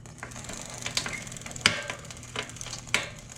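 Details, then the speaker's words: Bicycle rear hub turned with the bike upside down: dry, gritty hiss and irregular sharp cracks from the metal ball bearings rubbing for lack of grease; the rider hears it when riding on the street: worn, dry rear hub bearings grinding. "adentro tiene unas bolitas que son de hierro de metal entonces eso rosa con esta parte del otro lado también tienen las mismas bolitas"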